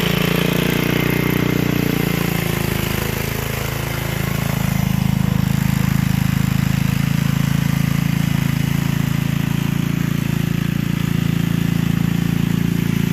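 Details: Gilson rear-tine tiller, a junkyard find from 4–5 years back, test run after cleaning dirt out of the sticky recoil. Low steady drone dips briefly as the tines bite, then holds speed. Runs well under load. A fuel leak was noted at the tank/carburetor seam.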